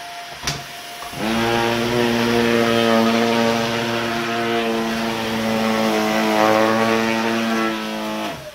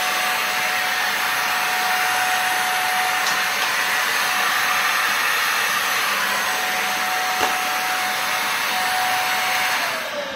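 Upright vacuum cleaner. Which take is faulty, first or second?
second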